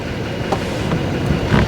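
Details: Flood-damaged GMC Sierra 2500HD Duramax diesel just started: low, steady, even idle rumble with no knocks or misses; engine idling normally.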